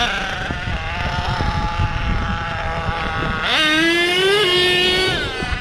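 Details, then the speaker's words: HPI Savage XL nitro monster truck (K5.9 or X4.6) after low-speed needle tuning: small nitro engine screams up, drops a step and keeps climbing as the 2-speed shifts cleanly at a sensible point; 2-speed tuned in the right range, normal. "I would say the 2-speed is tuned pretty much in the right range right now."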